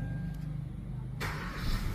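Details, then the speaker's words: Kia Rio that would not start (cranked, no start, ECU checked) now catches cleanly after a brief pause and settles into a low steady run: normal start. "yun oh one plake umaandar naandar na yung kario. [Musika] Umaandar na siya."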